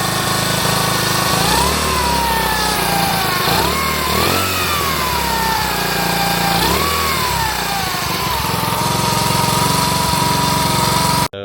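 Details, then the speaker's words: Honda Trail 70 with rebuilt carburetor, revved to provoke an intermittent supercharger-like whine that rises and falls with throttle. "It's not making the noise right now, so I'm going to rev it up, and I'll see if I can get it to do it. Sounds like a supercharger."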